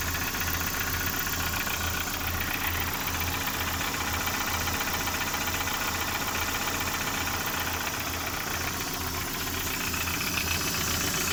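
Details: Lada Priora idle: sharp regular knocking, about 2.5 per second, over the idle. The engine burns no oil and pulls well; the owner asks whether it is the pistons. An internal engine knock, cause unconfirmed.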